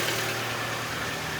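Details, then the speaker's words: Mitsubishi Lancer X 1.6 petrol (4A91/4A92), CVT, 211,000 km, some oil consumption: idle with a dry tinny rattle over the steady hum; suspected piston knock. "Хорошо брякает. Муха или поршня? Сейчас посмотрим. Что-то брякает."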